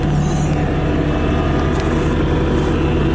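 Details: 2017 Bobcat T650 rubber-track skid steer loader, 2195 hours, idling with no error codes: a steady, even diesel rumble at a constant low pitch with no knocks or misses. A healthy idle.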